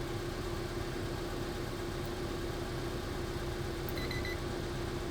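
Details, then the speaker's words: Car idling with AC on and a working high-pressure switch, before the switch is disconnected. The compressor engages with an even hum and no squeal or rattle, while vent temperature falls to 12°C: normal AC compressor operation. "Ahí ya se activó el compresor, ya se escucha. Vamos a revisar las temperaturas. Tenemos 53 gr Fahenheit o 12ºC y bajando el sistema trabaja de manera normal."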